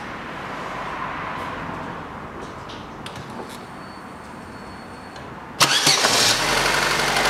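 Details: Chevrolet Lanos 2006, 1.5 petrol, manual, 342,000 km: after replacing the poor-quality valve rocker arm, the engine cranks, catches and idles evenly with no valve tick. Normal idle after the repair.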